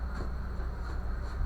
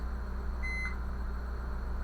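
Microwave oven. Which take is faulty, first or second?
second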